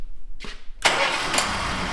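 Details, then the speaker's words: 1977 Chrysler Newport after tune-up, restarted hot after a 10-minute idle test: brief crank, then it catches cleanly and settles into a steady idle without stumbling or quitting; a good hot start. "Yeah, it can't go poonk, poonk, poonk or quit, right? Hot start."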